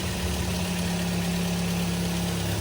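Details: Twin Z petrol engine after overhaul for heavy oil burning (oil-fouled plugs), broken in: steady quiet idle, even low hum, no ticking, misfire or knocking; healthy rebuilt engine.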